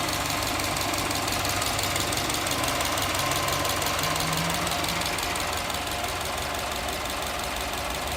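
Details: Subaru Forester XT at idle: steady, light knocking rattle about three taps a second. Suspected piston slap, more prominent since an oil change to Castrol Edge 5W-40; cause unconfirmed.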